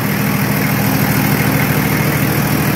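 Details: Nissan Patrol Y60, TD42 turbo diesel, idling after 9 months parked, before oil check and test drive; deep steady idle with even clatter, no knocks or misses: normal diesel idle.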